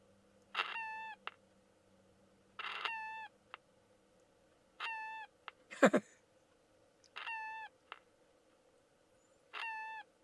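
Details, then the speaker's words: Old transistor radio, AM band: short bird-like warbling chirps about every two seconds over quiet hiss when it is switched on and off. Cause unknown; the radio is distorted and due for a recap. "isn't that cute you turn it off listen to that do it again turn it on isn't that cute that reminds me of the noisemakers i used to make back in the late 60s and throughout the um early to mid 70s"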